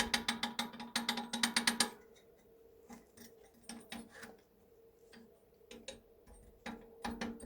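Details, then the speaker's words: BR232 diesel locomotive KT6 turbocharger, rotor turned by hand: light, irregular clicking clatter from loose turbine blades with play in their ring mounting; turbine blade rattle. "ale wcześniej w momencie kiedy ręcznie napęd wzięło się wirnik torba nie było słychać takie lekkie klekotanie właśnie będące wynikiem luzów upadek które po prostu kiedy zjeżdżamy na dół opadały znaczy wysuwały s"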